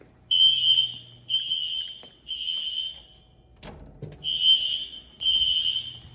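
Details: Fire-Lite ES-200X fire alarm system (replaced a 6808) on test: shrill high-pitched horn blasts about a second long, repeating roughly once a second, heard over a barely audible SpectrAlert; horns sounding normally.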